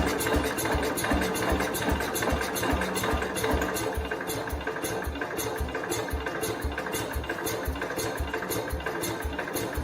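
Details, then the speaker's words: 1969 Cub Cadet 105, given throttle: uneven chugging about two and a half beats a second, never catching into a clean run; owner suspects someone timed it wrong and plans to pull the engine. "I tried to get it to start I cannot get it to start on its own it's trying to as you guys have seen but it's just not taking off"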